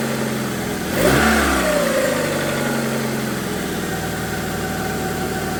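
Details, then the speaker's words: After cylinder head rebuild with new exhaust valves: steady idle, then one sharp snap-throttle blip climbing fast and dropping back smoothly; no stumble, misfire or hesitation. "The biggest thing is it doesn't misfire under load, so when you snap it, it doesn't hesitate. It takes the fuel and it continues on revving up, so that's a great sign."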